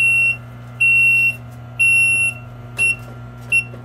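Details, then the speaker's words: Frymaster FMH222 three-phase electric double fryer, controller powered, shows a "Prob" code: high shrill beeps about once a second over a steady hum. Controller fault alarm; the computer, not the temperature probe, is suspected. "the controller is energized but when i do this it goes for prob as you can see"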